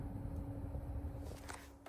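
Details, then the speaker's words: Mistral Gyro Aire / Mighty Mini box fan just serviced and regreased, running on low: soft steady low hum with a faint even tone, no ticks or scraping; quiet, though slight crunching from the front louver may occur until grease spreads. "You will hear a little bit of the crunchy stuff from the front louver for a little bit because the grease will work its way around to where it wants to be. But overall, pretty quiet,"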